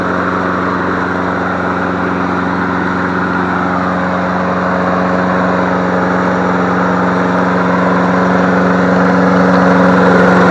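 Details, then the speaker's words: Free MTD Select Series 21-inch self-propelled mower, suspected sheared flywheel key, running on leftover tank fuel: steady even single-cylinder beat near four per second, constant pitch, no misses or knocks; healthy. "good job you sound pretty darn good"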